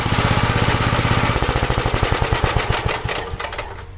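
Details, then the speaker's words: 1956 Gravely L after head gasket replacement and valve inspection: single-cylinder chugging with uneven sharp pops among its firing beats, easing off as revs drop; it no longer stalls going from high speed to idle, but the popping remains, cause unknown. "Still popping, you can hear it, but at least it's not stalling."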